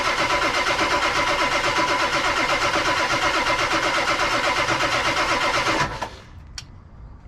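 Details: 1999 Ford F250 Super Duty 7.3 Powerstroke diesel, abandoned over 6 years, first attempt on jumper cables: steady, even cranking at about three beats a second for six seconds, never catching; oil pressure not yet built.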